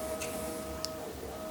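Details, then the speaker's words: Bambu Lab A1 3D printer fan after slightly loosening the screws on the bottom of the unit: steady, even whir with no rhythmic clicking or rubbing, fixing the fan clicking noise without replacing parts. "And what do you know? It's stopped and it's free flowing. There's no noise."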